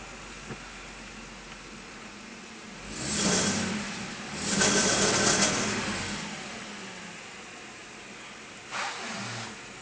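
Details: Lexus IS300 with the FIC plugged in: starts fine and idles quietly, but two short revs stumble and die at about 2000 rpm instead of climbing; misfire when revving.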